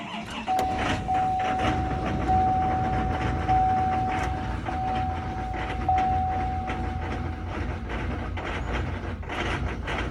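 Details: 2019 Duramax diesel started cold at about 15 below zero: clattering idle with an uneven lumpy beat, rough idle present since new, cause unknown.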